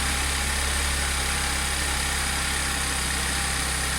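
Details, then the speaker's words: Audi S4 3.0T supercharged V6 just after first start following driveway bank 2 timing chain repair (P0016/P0018), start-up rattle gone, waiting for high idle to drop. Smooth even idle, steady low hum, no ticking or rattle; normal idle. "sounds good just wait for it to kick off the high idle and see what it sounds like on low idle"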